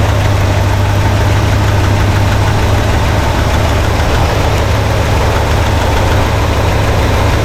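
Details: 1968 Pontiac LeMans V8, warmed up, during a tune-up while timing is being set (about 6° before locking the distributor, then about 12°): an even, steady low idle with no hunting or surging. Normal idle.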